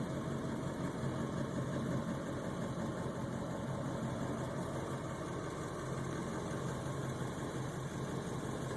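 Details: Ford 7.3 Powerstroke diesel idling higher than normal and rough, surging in gear; a new fuel filter and additive helped only two days. Slightly high, uneven idle with a loping pulse about twice a second; owner suspects a bad ICP sensor or FPR.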